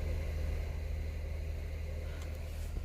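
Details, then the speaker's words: Toyota MR2, engine off, key in position two: a steady low electrical buzz from the radiator fans, whose fuses were missing when the car was bought; unclear whether this is a fault. "i put my key in position two and the buzzing starts again that right there you hear that it's the fans"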